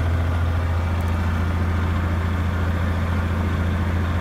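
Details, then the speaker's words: Big truck on a 20°F winter morning after pouring a bottle into the frozen compressor air hose: deep steady diesel drone, revved fairly hard, no longer spitting, air building faster; normal compressor operation. "slowly gasing on it pretty hard now and it doesn't seem to be spitting"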